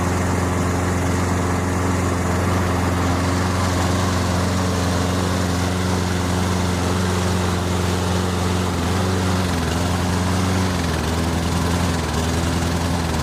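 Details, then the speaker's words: Toro Recycler 22-inch push mower, Briggs & Stratton 190cc, running while AMSOIL Power Foam is sprayed into the carburetor and saturates it: steady drone that sags in pitch as the engine bogs from the cleaner. "right, so just get a couple shots of it in there, and then I just completely saturate it and let it bog out."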